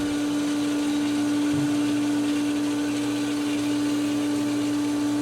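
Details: Pool pump starting up a Diatomaceous Earth filter at pool opening, after priming with the multi-port valve on Filtration and the air relief vent opened; strong, steady mid-pitched motor hum, perfectly even with no rattles or surging, running normally.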